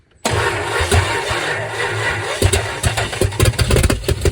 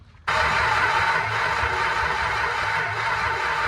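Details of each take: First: 1963 Dodge Dart 270 convertible with 360 V8 swap, after fixing a loose carburetor: cranks, catches, stumbles briefly, then fires again and settles into a lumpy but steady V8 run; starts and runs. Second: 1963 Dodge Dart convertible with a 360 V8, 21 years off the road, ignition rigged without a ballast resistor: steady cranking with no start. The owner guessed insufficient timing; spark proved good, and the carburettor was then found loose on duct tape.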